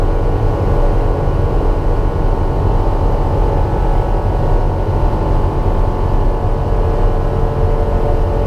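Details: Grinding metallic sound and vibration while taxiing a light aircraft after landing, on the first flight after the annual inspection. It was not noticed while taxiing before takeoff. Heavy uneven low rumble with a rough shaking undertone from the gear area; cause not confirmed.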